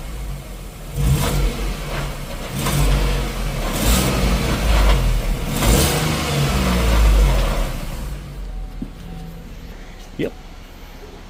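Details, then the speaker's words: Ford Transit 3.7L, 85,000 miles, after a tune-up with new plugs and coils that cured P0301–P0304 misfires. Throttle blips bring a tinny, buzzy rattle from the broken-up passenger-side catalytic converter. "let me show you a clip of what it sounds like now that it's running good and it's not misfiring right away listen to the catalytic converter on the passenger side"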